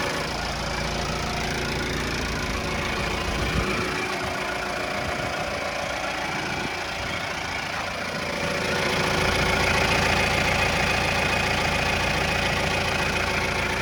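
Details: 2018 Mahindra Roxor turbo diesel after a long fuel-pump prime: steady, even diesel clatter at idle with a smooth, regular beat and no knocks or misses; normal healthy idle.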